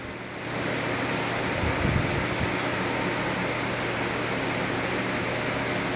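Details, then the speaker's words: Waste oil furnace relit after refilling the tank, with the blower off and the system repressurized with the needle valve open: quiet hiss swells into a steady, even roar with no sputter or pulsing; burner lights normally. "All right, it lit up. So now I'm going to turn the oil all the way on and go back to running."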